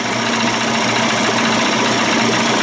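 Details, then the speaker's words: Johnson/Evinrude 25–35 hp two-stroke outboard conversion after low-speed timing synchronization: a smooth, even buzz at idle with no misses or knocks. The idle is clean and normal. "sounds good there's barely enough room to get this screwdriver in here"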